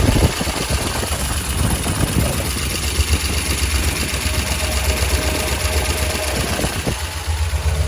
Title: Lifter tick?